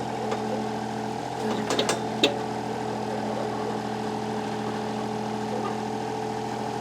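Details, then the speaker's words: Kubota KH-10D excavator diesel idling after a new starter, fires right up with fuel pump heard turning on: steady, even idle with a smooth low beat and no knocks or misses, a few clicks early; normal idle. "with that new starter in there thing fires right up so you can hear the fuel pump turn on there"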